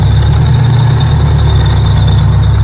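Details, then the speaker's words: Del-Cat with high-boost JRSC supercharger kit, cold start: a thin steady squeal rides high above a deep, even idle rumble without wavering; the supercharger belts are slipping. "Yeah, that's right. Belt slip. These belts have been slipping."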